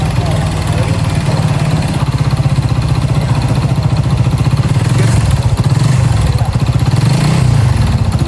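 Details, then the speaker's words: Honda Supra GTR 150 at idle: heavy, fast, even knocking over the idle beat, far harsher than normal, from a worn connecting rod big end; scored cylinder block and piston, and the connecting rod is replaced. "Nah, seperti yang kalian dengar, suaranya itu udah gak nyaman buat didengar dan berisik banget guys."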